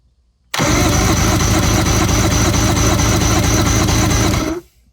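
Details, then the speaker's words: 1997 Evinrude 150HP two-stroke V6 outboard, sat 20+ years, fogged with Sea Foam, battery cranking for compression test: even, rapid starter churn, no binding or clunks; normal cranking. "So we're gonna swap to the next one and fire it up or crank it over and see what we get on the remainders. Hopefully they're all pretty close to each other."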